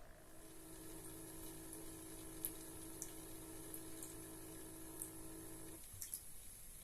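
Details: Cat water fountain pump hum, even with rubber pads fitted; steady low electric hum with light water trickle, cutting off near the end, loud enough to scare the cat.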